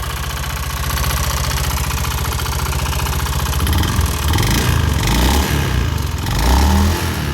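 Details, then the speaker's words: Honda Scoopy FI scooter: harsh rapid metallic clacking, about four knocks a second, over a rough idle; suspected internal engine damage from running out of oil, with oil found around the filter area. "Suaranya sangat kasar sekali ini diakibatkan karena kehabisan oli"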